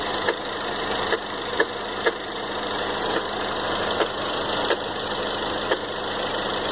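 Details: 2013 Ford Fusion 2.0L EcoBoost at idle: steady hum with sharp, uneven ticks about once or twice a second; engine knock at idle, cause not yet found.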